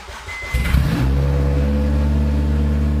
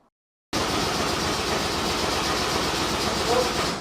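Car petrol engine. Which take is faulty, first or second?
second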